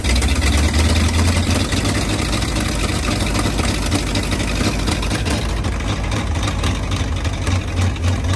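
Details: 1939 Ford 1.5-ton truck, flathead V8 parked about 65 years (bad head gasket, water in oil pan), new intake gasket and condenser, wired directly to battery: deep loping burble, slightly uneven beats, settling in; runs pretty good, carburetor a little weak.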